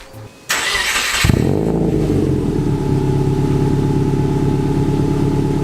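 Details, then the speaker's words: Subaru WRX just after an Invidia exhaust install with new gaskets at two joints, first start: starter whirr, engine catches, flares and settles into a deep even burble, no ticking or puffing; gaskets checked, no exhaust leaks. "so after checking all the gasket there were no leaks"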